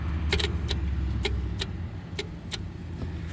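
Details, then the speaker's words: New Stanadyne DB2 fuel shutoff solenoid on a 6.9/7.3 IDI injection pump, cover bolted down, key in run, wire touched to the spade: sharp, dry clicks over a faint hum show the solenoid moving freely. "now i'm going to touch this wire here to this spade and listen for an audible click from the pump if you can hear that"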